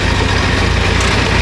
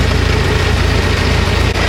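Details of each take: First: 1926 Ford Model T, 20 hp four-cylinder, just started and switched to magneto: low, even chuffing beat at a slow steady idle with no misses or knocks; normal idle. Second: Model T Ford, just started by hand crank: low, uneven chuffing idle with a brief sag, nearly stalling; this engine tends to stall quickly, so the spark must be adjusted fast to keep it running.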